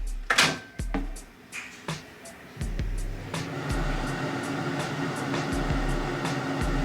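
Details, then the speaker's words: Vaillant gas water heater with flow turbine diagnosed seized and faulty, not spinning on hot-water demand: a few clicks then steady low hum and even whir as the fan runs normally. "so you can hear the fan is running so inside this appliance all there is is a fan gas valve obviously a flow turbine and a little pcb to recognize"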